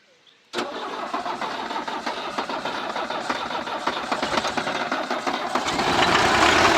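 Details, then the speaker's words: Tempo Trax, non-direct-injection diesel, long parked: catches after a long crank and runs with rough, uneven clatter, slowly building speed; hard starting after standing, starts easily when used continuously. "അങ്ങനെയുള്ളൊരു വണ്ടി ആയതുകൊണ്ട് starting ഇച്ചിരി ടാസ്ക്കാണ്. ഒരുപാട് നിർത്തിയിട്ടാ കേട്ടോ."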